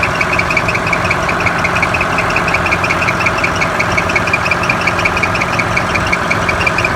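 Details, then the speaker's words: Cat D5G dozer diesel at idle, after a limp mode, a shutdown and a low battery: sharp high chirps about three a second. The alternator fan belts are very loose and slipping, with only 12.5 V output at high idle; fixed by tightening the belts. "First thing, go ahead and start the machine up, and we got a belt chirp. So pulled the side cover, and the alternator fan belts are very loose."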